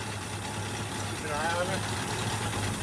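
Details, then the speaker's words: 1965 Ford Mustang coupe V8 just after a carburetor rebuild that fixed flooding over, with the fan touching its shroud: an even, steady, smooth idle with no misses or knocks; normal idle. "Yeah. Because right now we're not flooding over like we were before. Alright. So just hang out, let's let her idle."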